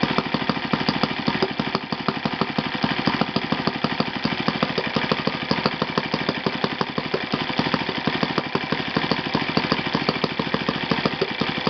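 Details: Yamada (Futaba) YS F 120 four-stroke glow engine on a test stand after a full rebuild (combustion chamber buildup, piston and ring problems), Yamada No. 4 plug: fast crisp evenly spaced pulses at steady speed throughout, no sputter or misfire; normal running.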